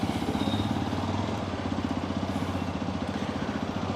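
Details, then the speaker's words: XPulse 210 riding after engine head replacement: steady single-cylinder thump at about four beats a second; the earlier tractor-like clatter is gone, and the engine sounds healthy. "Noise ಗೊತ್ತಾಗ್ತಾ ಇಲ್ಲ ಗುರು ಇಂಚಿಂದ ಈಗ noise ಗೊತ್ತಾಗ್ತಾ ಇಲ್ಲ"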